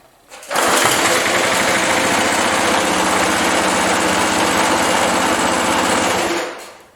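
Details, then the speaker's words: 37-year-old Montgomery Ward 20-inch mower, Briggs & Stratton 3.0 hp 92502 Vacu-Jet carb, after choke diaphragm replacement for hot-start trouble: cold start catches first pull, settles into a fast, even run with no stumbling; healthy. "okay that fire right up so let's uh let's run this thing until it gets hot see if it restarts any better when it's really hot"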